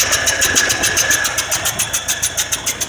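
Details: 1978 Ford F150 with a 302 V8, cold day, thermostat removed: sharp puffing tick about 3.5 times a second over idle; owner suspects a blown head gasket rather than an exhaust leak.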